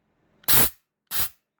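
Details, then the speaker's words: Nitrous nozzle on a chainsaw build spraying two short sharp hissing bursts, the second lighter; new nozzle spreads the spray evenly, though the owner says it delivers too much nitrous. "and it kind of spreads it out a little bit and i got a different nozzle in there my problem believe it or not is that it's too much nitrous"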